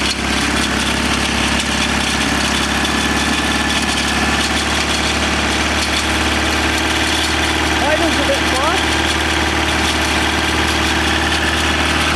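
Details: 1987 BMW 518i E28 on first start after a borrowed distributor cap was fitted and the plugs and airflow meter were reconnected; fast, steady idle around 2,000 rpm with no knock or misfire, no oil pressure yet, and a leak suspected under the engine.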